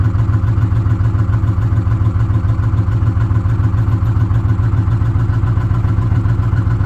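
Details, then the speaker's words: 2006 Ford F-150 5.4L V8 with code P0016, bank 1 noise, warranty inspection: steady idle with a light, fast clatter up top, located around cylinders 2 and 3. Suspected valve train ticking at idle, not confirmed. "In the valve train up top. And somewhere in this area, so 2 and 3. That's just, I mean, that's about where the noise is coming from. That's what I'm getting at. It sounds like a valve train noise back there."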